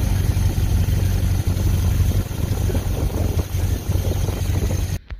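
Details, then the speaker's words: 1951 Pontiac Chieftain engine revived after long storage, idling with coolant in the radiator while warming up: low, even rumble with no knocks or misses; healthy. "yeah there it is running um with cool inant so I'm letting it get up to Temp letting it making sure it you know everything gets properly lubricated in there"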